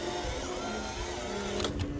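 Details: Drive motor of a homemade Winfield Collection Ferris wheel, kept outdoors in Missouri rain, wind and ice; steady high whine over a low mechanical hum with a shifting squeal; loud, sounds strained under load; motor whine and squeal.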